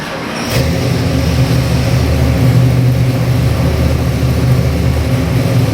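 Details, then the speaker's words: Custom-built Ford 351 Windsor V8 with Holley Sniper EFI for a 1975 Ford Bronco, on the dyno (made about 399 hp, 438 lb-ft): fires at once and holds a deep, even rumble with no misses or knocks; strong, healthy engine. "This happens to be a 351 Windsor EFI engine. We got the Holley on here, the Holley EFI."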